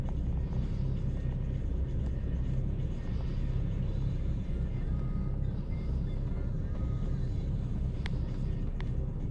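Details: 2012 Chevy Cruze LS petrol engine idles with a deep, uneven, lumpy rumble instead of a smooth hum; rough idle that mechanics could not diagnose.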